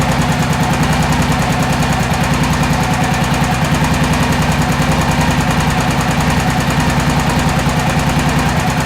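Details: 2001 Honda XR650L single at idle: hard, fast ticking about three per second over the thump, a noisy top end; owner suspects a valve seat, to be confirmed by teardown.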